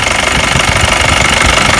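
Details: Mahindra Bolero diesel after a power steering pump repair, with no leaks. It holds a steady, even idle clatter with no pump whine or groan. The steering pump sounds healthy.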